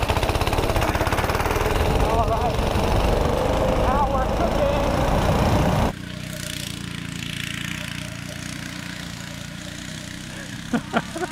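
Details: Tecumseh 6.5 hp go-kart engine with freed-up air filter, timed lap run: hard buzzing full-throttle drone for several seconds dropping to lighter steady run, pulls strongly; normal full-throttle running.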